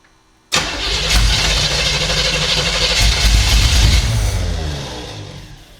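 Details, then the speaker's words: 1975 Chevy Monza 2+2 with 350 small-block V8 swap, sat about 20 years: catches sharply, runs a few seconds then fades; worn ignition key switch cuts spark when turned fully forward, fires only if eased back; replacement switch coming. "On this key switch, when I'm turning it over, if I go all the way forward with the key, it cuts off spark. If I let off just a tad, it'll fire up."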